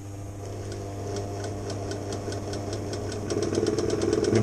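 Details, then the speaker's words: 1975 Elna Lotus sewing machine running: a low grunting drone with a rhythmic tick about four times a second. Caused by a flat spot on the rubber motor idler wheel; the noise stopped after the fix. "entendre qu'elle fait un bruit pas et catholiques espèce de grognements n'est pas normal"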